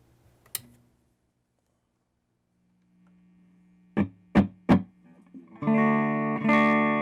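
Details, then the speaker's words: Fender Blues Deluxe guitar amp on the clean channel, first power-up after repairs: plucked notes harsh and fuzzy, high notes odd, lows with no guts breaking up badly; distorted output, cause not confirmed. "And you notice how the high notes have a sort of weird thing going on with them, and low just has no guts and it wants to break up."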